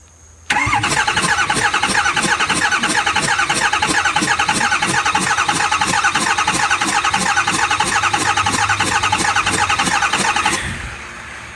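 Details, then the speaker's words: Ford 6.4 Powerstroke diesel compression test while cranking: steady cranking about three beats a second with sharp rhythmic puffing hiss as air escapes from the open cylinder 6 glow plug hole; cylinder 8 read about 400 psi. "That's making that noise because I left number 6 cylinder out, or glow plug out, I mean."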